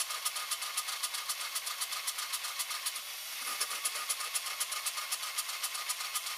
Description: 2004 ESCALADE ESV 6.0L LQ9 ENGINE, misfire on cyl#2 only at idle... intake valve leak is suspected...